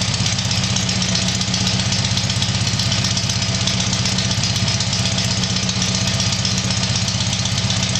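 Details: Tiger-1 engine (Bill's) idling after rebuild, loud steady idle with even firing pulses about four per second, no stray knocks or misses.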